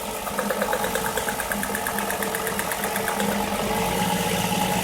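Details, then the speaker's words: 2005 Nissan Murano with a misfire and no fault code, restarted after replacing the faulty cylinder's ignition coil, found by disabling injectors one by one with a scanner: steady even idle, no stumble, cylinder now working; normal idle. "quiere decir que ya el cilindro está trabajando"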